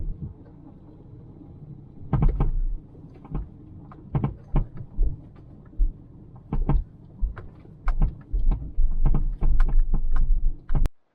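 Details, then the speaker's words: 2000 Toyota Celica 1.8 GT driven on a stony road: irregular heavy clunks in bursts from the right front, getting worse; owner suspects worn ball joints or suspension rubbers, unconfirmed. "it sounds like it is it's still under bright side front and it's making more and more noise"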